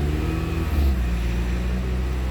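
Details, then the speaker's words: PT Cruiser with corroded battery terminals, running after a jump start while the alternator charges. A quick rev falls back and settles into a steady, even low idle with no misses or knocks; engine running good. "Hear it running, Tom? It's running good. Hear it running?"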